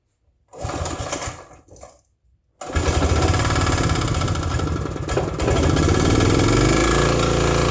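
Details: Vintage Briggs & Stratton 5 hp generator: it fires right up after the on switch was set correctly and settles into a steady, even run with no misses or knocks while powering a shop vacuum under load.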